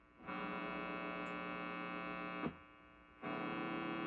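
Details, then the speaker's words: Hotone Nano Legacy Captain Sunset 5W solid-state guitar amp head, EQ at noon: loud steady buzzy hum with stacked overtones, dropping away briefly when the guitar bridge is touched, then returning; ground loop hum. "ground noise this thing makes a lot of ground noise uh I don't have enough fluorescent lights on in the house to be making that happen and it does go away when I touch the bridge"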